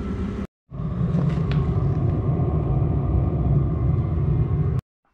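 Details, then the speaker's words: Audi A4 1.9 TDI auxiliary (Eberspächer) heater, started by remote after the extra-ground repair: a steady, even low purr with no misfire or surging. It burns smoothly; the repair was successful. "Täällähän meillä Eperi hienosti hörisee. On kyllä ollut hyvä ja onnistunut korjaus."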